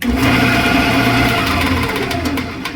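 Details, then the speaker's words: 1979 Shopsmith Mark 5, old worn quill turned by hand: one makes almost no noise, this one audibly noisy with loud uneven whirring, rough hum and rattly overtones; visible wobble. Worn quill causing spindle wobble, before quill replacement. "this one makes almost no noise and then this one you can hear as I turn it oh yeah clearly"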